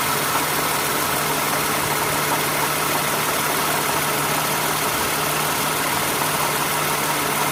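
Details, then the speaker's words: 2008 Toyota Sienna minivan idling after accessory belt, tensioner and idler pulleys replaced: steady, even hum with no squeal, chirp or rattle from belt or pulleys, no clicking metal from new pulley; only a ticking from the engine itself; belt drive healthy. "you hear the ticking sound, it's from the engine. But there's no... Yeah, it's smooth sound."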